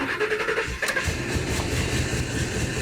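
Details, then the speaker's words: Ford F350 with swapped-in gas V8 and newly rewired harness: short crank, catches right away and settles to a smooth steady idle with no knocks or misses; healthy start. "That sounds like a dream."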